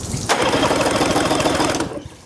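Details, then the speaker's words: Used outboard during a pre-purchase compression test: tester on cylinder one, lanyard pulled, fast idle lifted while cranking. Even, rapid cranking pulses with no uneven beats. It reads 120 and passes, so compression is healthy. "Got this tester hooked up to cylinder number one. And then we'll crank it over and see what we get."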